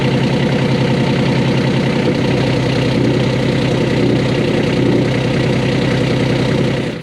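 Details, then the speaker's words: 1988 Catalina 36 diesel idling in neutral, shaft not turning; fast uneven metallic clatter loud through aft end of boat, resembling grinding; loose unbolted exhaust-area component rattling, not cutlass bearing or shaft. "It's rattling because it's not bolted down. And it's shocking how loud and scary that vibration ends up being throughout the entire aft end of the boat."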